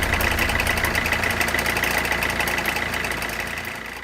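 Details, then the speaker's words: Peugeot 207 at idle just after replacing the crankshaft auxiliary belt pulley, belt refitted: sharp regular ticking knock about three and a half a second, fading as revs drop; front belt-drive knock persists, belt tensioner suspected, not confirmed. "well that's annoying, having thought we had solved the problem with the bottom pulley we are back to square one so out with the all-important screwdriver to try and locate the sort of noise probably the tensioner seems like the most obvious choice at this point"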